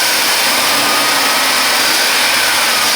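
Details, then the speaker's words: GM 4.3 L V6 Safari/Astro van, cold start at 6°C after ignition coil replacement: steady high fast-idle rush, even and smooth, no misfire stumble or knock; healthy. "so this is a cold start and by code start yeah it's colder for some of you guys elsewhere it's only six celsius today so it's not uber code but"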